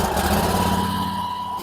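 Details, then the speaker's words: Garden tractor with a 14 hp Briggs Vanguard engine on a cold start: catches at once and settles into a steady, even run with no stumbling or knocking. A normal cold start. "Yeah, that was a cold start, actually. That thing fired right up."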